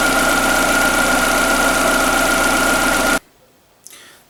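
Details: Skoda Fabia 1.4 BKY with automatic, after engine rebuild for piston slap (owner's complaint: cold-start and under-load noise); odometer just over 200,000 km. Even idle with faint constant whine, no slap or knock for about three seconds, then switched off.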